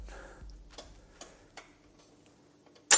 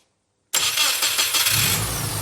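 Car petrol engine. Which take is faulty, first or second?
first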